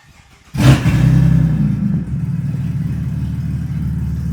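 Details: Car whose whole exhaust snapped off from the headers back and is dangling, effectively straight-piped: sharp blip then loud, raw, unmuffled blatting rumble, low and uneven; exhaust leak.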